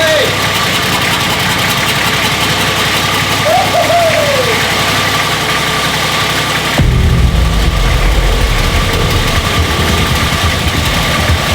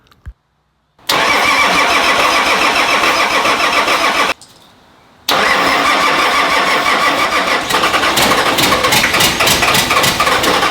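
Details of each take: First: Nissan GQ Patrol diesel after first start in 3.5 years, no coolant: runs on at steady idle clatter, then deepens and grows louder around seven seconds despite intake covered and fuel disconnected; won't shut off, cause unknown. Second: Nissan GQ Patrol diesel, first start in 3.5 years, no coolant in the radiator: silence, a quick crank catching into rough, busy diesel clatter, a pause, then it fires and keeps running.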